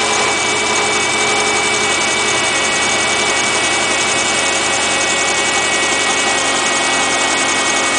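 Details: 2008 Subaru Impreza Outback Sport with 52k+ miles, cold start: a fast, uneven ticking idle with a thin high whine; it otherwise runs well. Abnormal engine noise, cause unclear.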